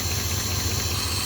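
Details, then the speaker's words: 1971 Ford first running in 27 years, on temporary gas tank, old plugs: steady low idle under strong hiss, slightly uneven beat; open vacuum line at back of carburetor needs a plug. "there's a vacuum line open on the back of the carburetor here. I need a plug, but it runs."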